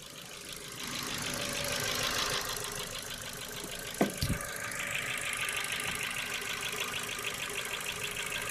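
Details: Ford Focus 2, 1.6 petrol, 100 hp, pistons and rings replaced last summer without reboring: a new fast light ticking, about three per second, over a steady idle. Cause unknown; owner suspects valves or cylinder wear.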